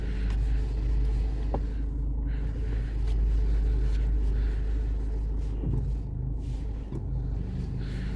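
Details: Toyota braking while turning: low steady rumble with no clicking; only a faint normal brake strain from the rear, considered normal, not the sought noise.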